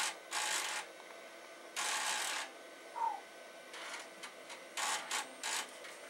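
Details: Amiga 2000HD with accelerator, floppy drive (DF1) reading disk: irregular bursts of harsh scratchy crunching, each under a second, against quiet background; DF1 icon vanishing and returning, drive grinding during access.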